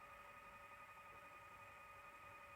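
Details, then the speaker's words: 1982 Toshiba V9600 Betamax VCR, stored since 1991, being revived: quiet steady motor whine at one pitch, drive turning but idler not engaging, mechanism seemingly stuck; cause unconfirmed. "I can hear it going, but it seems to be maybe stuck. Might have to give it a little wiggle, bit of an incentivize. It sounds like it's trying to, but it's not."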